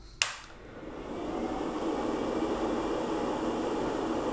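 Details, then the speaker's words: Elegoo OrangeStorm Giga large 3D printer powered back on at the main switch after the e-stop: a click, then a steady airy whoosh of many fans spins up within two seconds and holds even while it reboots. Normal fan noise. "so yeah lots of fans going on and we're back to rebooting"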